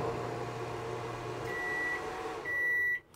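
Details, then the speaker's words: Microwave running on a 1,500 W pure-sine CNSWIPOWER inverter: a low hum cuts off, then two high beeps sound. This is the normal end-of-timer signal after 20 seconds, not the inverter going into protection. "como vocês percebem esse barulho que a gente acabou de escutar ali pensei que era o inversor em proteção mas não é o micro-ondas"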